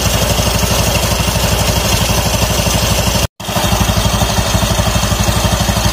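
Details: Automatic scooter after a noisy roller housing was found and the used CVT rollers reinstalled, running with the CVT cover off: steady, even single-cylinder idle with regular low pulse, no slipping, rattling or scraping; normal running.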